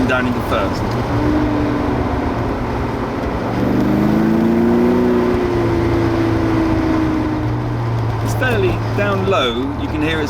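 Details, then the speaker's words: Porsche 928 automatic during transmission adjustment, driving through first to third and back to second: each change lands abruptly with brief shudder instead of smooth blend; harsh juddering gear changes, shifting at 4,200. "of judder as I change gear it's quite abrupt"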